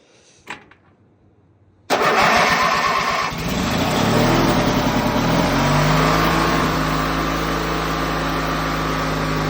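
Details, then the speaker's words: Ranch King riding lawn mower, bought used with some rust, started on a jumped/charged battery: brief cranking, then an idle that wavers and never runs smooth; owner thinks it needs a carb rebuild or clean. Uneven idle. "Um I did have an issue where I think it needs a carb rebuild or carb clean and the idle was funny."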